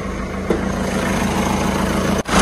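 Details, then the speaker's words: Peugeot 207 petrol engine idling just after start: a faint, thin high squeal from a tired accessory drive belt. "Est ce que vous entendez un petit couinement ? Ca couine en fait, ça couine fort ! C’est la courroie moteur qui commence à être fatiguée."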